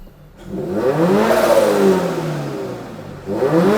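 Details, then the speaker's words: Turbocharged new-generation Subaru BRZ with wrapped headers and downpipe, catch can, boost and AFR gauges: two free revs with a rising turbo whistle, falling back smoothly; healthy turbo spool, owner says whistle sounds good. "oh you hear that turbo whistle sounds good"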